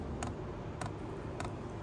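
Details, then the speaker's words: Fuel pump of a 5 kW VEVOR diesel heater-in-a-box build priming on first power-up, drawing fuel from the tank through the line and filter: crisp, evenly spaced ticks about every half second over a low hum; normal priming. "That sound you hear is the fuel pump priming. So it's actually taking fuel up from the fuel tank."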